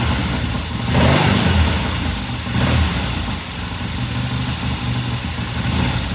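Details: 1969 Triumph TR6 vintage British motorcycle, pilot jet cleaned and pilot air screw turned in half a turn for a richer starting circuit; warmed up after a cold start, a low steady idle with an even beat, no hunting or misfiring: normal warm idle.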